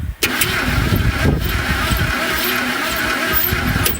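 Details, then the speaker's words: 1971 Ford Torino 500 engine, cylinders oiled, plugs back in, points ignition: slow cranking with uneven galloping beat where one stroke comes in lighter, indicating one weak or dead cylinder. "and I got that gallop in there so there's one weak cylinder and well maybe one no cylinder seven weak ones"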